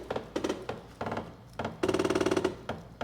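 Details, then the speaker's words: Bambu Lab A1 3D printer homing all axes at calibration: bursts of rapid hard stepper knocks, about a dozen a second over a motor hum, as axes hit shipping locks left fitted; printer turned off to avoid damage. "That don't sound too good, does it? I don't remember if my other A1s did that sound, but home all access."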